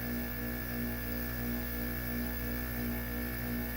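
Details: Plugged-in air conditioner, switched off, giving a steady electrical buzz with a low hum; the sound stopped after unplugging and replugging the unit. Buzz while the unit is off, cause unconfirmed.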